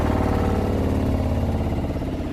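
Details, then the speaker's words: 2020 Rockwood Geo Pro 19FD RV water pump running inside during winterizing, hopefully drawing pink antifreeze from a bucket to flush the lines; even, steady motor drone with low hum, no surging, knocking or rattle; normal water pump operation. "we're going to hit the pump you can hear it running in here gonna run for a little bit and hopefully it's sucking pink stuff in there"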